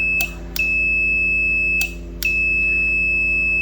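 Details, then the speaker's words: 12V 15A T-type relay (for stabilizer) bench test: clicks, then a steady high continuity beep over a second long, twice, as 12V battery supply energises the coil and the multimeter on the contacts confirms they close. "यह देखें आप देखिए आई beep सही है। यह beep आ गई।"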